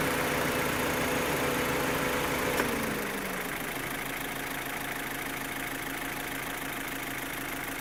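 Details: 2015 Opel Astra H Z16XEP petrol engine: sharp, even tappet-like ticking about three per second over idle, quieter as engine note drops; vanishes when cylinders 3 and 4 are cut, tappets replaced without change, non-original camshafts suspected; cause unknown.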